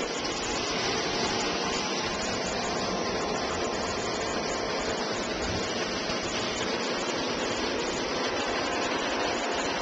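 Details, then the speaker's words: Old 1.5 hp Whisper Flow single-speed pool pump, solar-panel pool, drawing about 6.5–7 amps at around 237 V AC before replacement: loud steady rushing roar with constant hum under water noise, unchanging pace; noisy pump motor. "currently have a whisper flow pump and it's a 1 and 1/2 horsepower and when it's operating first of all you'll notice that it's pretty noisy"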